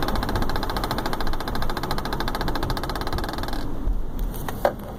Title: 2015 BMW X5 Clicking Noise From Sun Roof